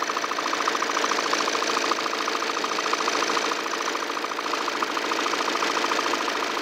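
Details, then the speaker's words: 2018 Volvo XC90, 137,292 km, at idle, heard from below: quick metallic rattle about three and a half times a second over steady idle; not timing belt, located low at the crankshaft damper pulley. Crankshaft damper pulley rattle. "일단은 지금 현재 소리는 위치는 아래쪽이 거의 정확한데 타이밍 벨트나 그쪽이 아니라 덴버플이 아래"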